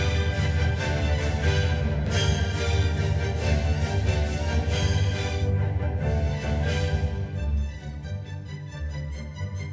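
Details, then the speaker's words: Restored 1958/1959 Grundig 2066 vintage tube radio, back in its cabinet after the final tone-shaping capacitors were fitted, playing orchestral music clearly with full bass and no hum, crackle or distortion; it sounds pretty good. "so listen here it sounds pretty good"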